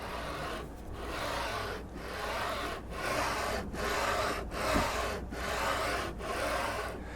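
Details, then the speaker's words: JGMaker Magic 3D printer, bed moved by hand on rods with linear bearings: gritty rasping swish on each stroke about once a second, noise from the linear bearings; a little oil may quiet them. "quelque chose que je remarque c'est que le plateau et sur des des tiges des déroulement linéaire de coach vous attend voilà c'est le bruit des berlines qui fait ça"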